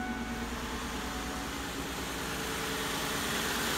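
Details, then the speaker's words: Kia with P0301 misfire after replacing arcing spark plug wires (three coil packs, six plugs). It idles evenly with no stumble and a smooth low hum; it was shaking before and runs smooth now. "Let's just start up and see how she sounds. Ooh, that sounds a hell of a lot better."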